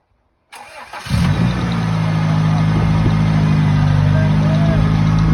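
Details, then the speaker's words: Freshly rebuilt Honda B18C1 GSR engine swapped into an Acura Integra LS, first start: cranks, catches within a second, settles into a smooth, even idle with no knocks or misses; later ran two hours without overheating, normal. "yes sir she's been running for like 2 hours now she um sounds really good no small no le red really good doesn't overheat nothing"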